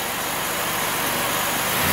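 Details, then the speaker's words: 2007 Chevrolet Impala 3.5L, previously misfiring with codes P0118, P0335 and P0326, after repair with the coolant sensor working: the engine note climbs smoothly and evenly through small rev-ups, only a slight occasional miss, no dead miss; normal rev. "I just want to see what it sounds like that's good so it sound sounds pretty dang smooth"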